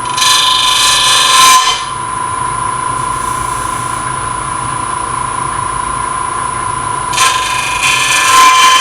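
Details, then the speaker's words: Lathe turning an open-segment oak and bloodwood vessel at about 1000 rpm, very light cuts: steady high ringing with harsh buzzy chatter as the loose segments vibrate against the tool. "my those touches are really light sounds bad because the pieces are vibrating"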